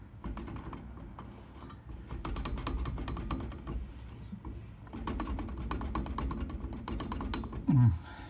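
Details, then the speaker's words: 2002 Mercedes CLK320, 170,000 km: worn driveshaft universal joint with a small tear, driveshaft rocked quickly by hand gives sharp metallic clicks and clunks with visible play; blamed for the rumble strip noise during slow acceleration. "and this was this is what will be causing your rumble strips and you know it sort of sounds like you got a bad wheel bearing all my so that does usually sell more of a humming sound"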